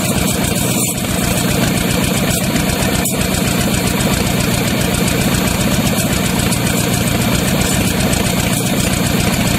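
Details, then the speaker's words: Used Chevy 350 small-block V8 on an engine stand, after carb cleaning: fast, uneven idle with occasional stumble; good oil pressure, thermostat had stuck and overheated; number three plug wire pulled to check for a miss. "the second thing is act like it's was missing so pulled the number three plug wire off"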